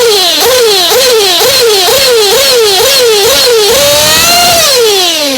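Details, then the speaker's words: Hot, already-tuned engine being set with VP Power Master, revved between small high-speed mixture screw turns: a high, clean screaming tone rising and falling about twice a second with each blip, crisp with no burble. The high-speed mixture is correctly tuned. "I don't know if you can hear that that nice high pitch clean sound that's my top end that's exactly where I want it"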